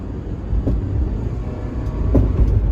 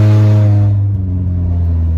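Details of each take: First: Honda Element, 140,000 miles, right after replacement catalytic converter installed following theft; low even quiet exhaust rumble with sway bar end links clicking; sounds like a K-series again; normal exhaust note. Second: Honda Element with its catalytic converter stolen, cruising at 70 mph on the freeway before the replacement: a loud, deep, steady droning boom, far too raw for a stock car, from the missing catalytic converter.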